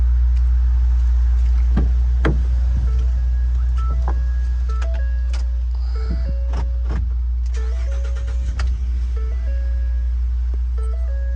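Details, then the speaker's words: 2014 Ford F-150 that wouldn't start, with no codes, suspected fuel pump power issue; runs after the fuel pump fuse was replaced with a 30A (spec 20A): a low, steady engine hum under cab chimes, no stumbling, running normally. "the car worked fine just like what it was before and everything running order"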